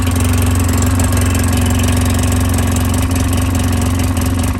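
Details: 2010 Polaris Ranger 800 XP EFI twin, code 652 5 PTO-side fuel injector open or shorted, duplicated on start: slightly lumpy, uneven idle; fault typically in harness epoxied to injector, requiring new injector.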